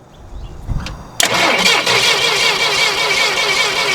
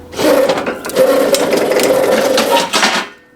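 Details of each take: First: 1980s Yale/Eaton 6,000 lb forklift, sat eight years, cranking before coil replacement: steady, even starter beat with no lazy or fast strokes; compression sounds equal across all cylinders. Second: Roughly 40-year-old 1980s Yale/Eaton 6,000 lb forklift, run after sitting eight years; a harsh, raspy metallic grinding while it moves; owner thinks it needs lubrication or bearings, not confirmed.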